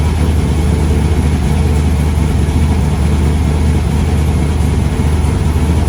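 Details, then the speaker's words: Replacement LS1 V8 fitted after the previous engine threw a rod through the pan, first start after priming fuel pressure: deep rumbling idle with a choppy, uneven cam lope and no clatter or knocking; normal cammed idle. "oh man she's running she's chopping here i come drift event"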